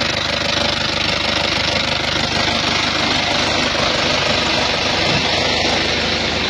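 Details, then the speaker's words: Isuzu Panther Touring diesel at idle, arrived with rough engine and oil leaks: hard rough idle with quick fairly regular tek-tek clatter three or four per second over diesel rattle; engine ticking. "Yang pertama, suara kasar. Bisa teman-teman dengerin ya. Ada suara tek tek tek tek tek, ada tek tek tek tek, banyak ini."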